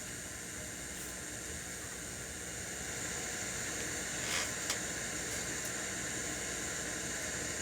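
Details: Crate CA series acoustic amp, gains at 0, master at 3 o'clock, reverb return being turned up: steady high hiss that gets louder partway through; reverb return has the white noise syndrome.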